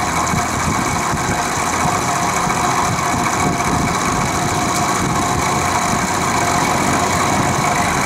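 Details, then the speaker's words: Vintage Penncrest (rebranded Lakewood) 3-speed 20-inch box fan on low, after six years in a shed; bearings drowned in WD-40 quieted it, but a fast buzzy motor rattle persists; no motor side play, blades not loose, cause unknown. "Seems to have quieted down a bit, but the rattle still persists, so I'll start it up on low."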